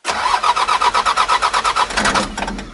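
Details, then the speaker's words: 1984 Mitsubishi Mighty Max 4x4 turbo diesel mini truck, 5-speed manual, new timing belt and water pump, started cold without glow plugs: even starter cranking about eight compression beats a second, no firing, winds down; needs glow plug. "still cold. Well, let me show you how it works. Glow plug is right here."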